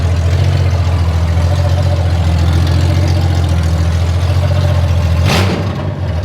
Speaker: That sixcylinder sound is great. You can hear it in there, but it's got a rattly beat to it